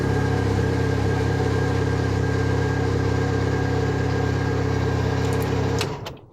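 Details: 2008 Chery Jaggi (S21) 1.3 petrol, towed in not starting with code P1614 (immobilizer/ECU not recognizing key): after the fix it catches and settles into a steady, even idle with no misses or knocks.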